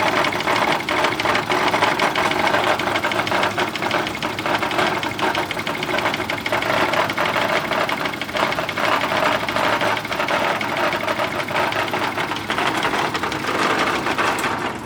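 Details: Nearly new Yamaha F70A outboard that began knocking after reverse was engaged at full speed, run without its gearcase: a fast, even tapping knock rattles through the busy running noise, internal cause not yet found.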